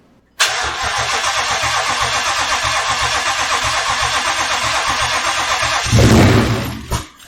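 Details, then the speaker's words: Ford Mustang twin-turbo build first start: cranks and catches at once, runs rough about five seconds, surges, then dies abruptly and sets check code; stalls after start. "well it's a bummer it uh it kind of started to ran for a little bit and then it gave me a check manual code so i fear that it's not going to actually stay running"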